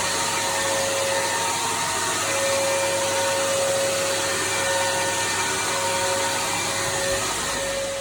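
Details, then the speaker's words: Henry HVR200 vacuum from 2001, recorded days before its motor died after years of trouble. A steady rushing motor roar with wavering thin whistles drifting in and out; the motor is rough and failing and needs replacing. "As you can hear, he does not sound very well at all, so I'm going to show you how to replace the motor and where to get a motor."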